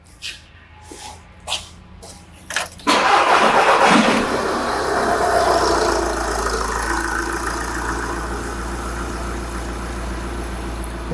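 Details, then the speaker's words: Engine restarted during a Pico WPS pressure-transducer test, transducer reading intake manifold pulsations: a few light clicks, then engine catches cleanly into an even, steady idle; pulsations uniform, no misfire. "there we have intake manifold pulsations now they are uniform there was no misfire or there's no"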